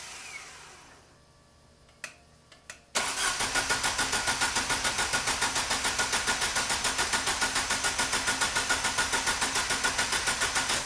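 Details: Opel GT Targa after a Weber 40 DCOE carburettor install, first test fire with throttle linkage not connected and throttle untouched: even starter cranking at about three and a half turns per second that never catches. Carburettor possibly not yet primed; cause unconfirmed.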